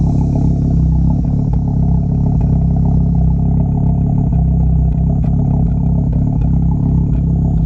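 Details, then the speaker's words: VW Golf R MK6 big-turbo FSI part-out car, warm idle with low vacuum, misfires and strong fuel smell: thin steady high whir above the engine rumble from the engine bay that got faster when revved; unidentified whine. "there's a bit of a weird noise coming from the engine bay so shut it down like a whirring that actually got a little bit faster when you it did get faster when you revved it a little bit"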